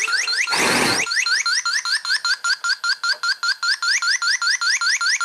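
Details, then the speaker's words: 2018 Honda Accord 1.5 turbo, about 55,000 miles, weak A/C: brief hiss as the R1234yf service port cap is opened, then the R134a leak detector chirps rapidly, about two and a half per second, alarming on trace refrigerant, confirming it detects it. "So if I undo this cap, will it detect trace amounts? It does."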